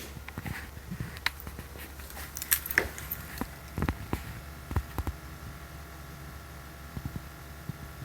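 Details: 2020 Toyota Corolla parked 7 hours after shutoff: a steady low hum continues with the engine off, as if something inside the car is still running.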